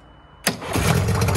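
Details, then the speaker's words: Mariner 30hp outboard on an abandoned boat, started on the master key with the broken accelerator worked by hand. A sharp catch, then a steady, even idle with no stumble; it sounds perfect, though it has a petrol leak. "nothing wrong with that mate we have actually got a little bit of a petrol leg but that sounds beautiful that little engine sounds perfect doesn't it"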